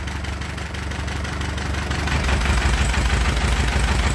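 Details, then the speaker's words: Allis-Chalmers B tractor bought at a sale, new plugs and cap, burns a little oil, barely any oil pressure, clutch stuck: steady even low chug at idle, about three beats a second, no knocks or misses; runs nice and smooth. "but anyhow I got the motor running it runs pretty nice and smooth"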